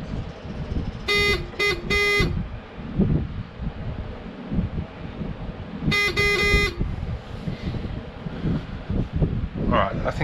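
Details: Newly added bilge level warning alarm on an Argo 8X8, buzzer mounted under the dash and temporarily connected with clip leads: three short, harsh buzzes, then one longer burst, clearly audible outdoors. The alarm works.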